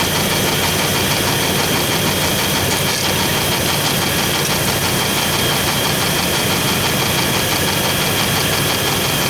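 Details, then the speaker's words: 4.3 V6 running with 60 psi oil pressure, low fuel: constant dry, gritty scraping hiss over idle, no clear rhythm; owner suspects newly fitted distributor (ignition) cap rubbing, unconfirmed. "all right that noise feels like it's coming from my cap so I'm going to double check my uh ignition cap back there we just put that on I didn't put it on Hans put it on and it feels like something's rubbing in there"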